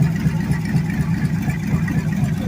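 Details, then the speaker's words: Freshly rebuilt budget Chevy 350 small block on the floor, radiator cap and fan not fitted: steady, even idle with a deep, loud lope from open headers, no knocks or ticks, 6 psi oil pressure. Normal idle. "Sounds like absolute crap with these headers on it. But we got 6 pounds of oil pressure. Sounds pretty good."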